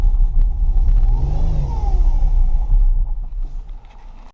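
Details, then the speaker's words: Mustang project car, first start after installing a new fuel pump, radiator dry: deep, uneven rumble that swells with a throttle blip and never settles into a clean beat; runs and moves but rough. "uh ain't random forever so it ain't the prettiest sounding thing so far but it does run it does move"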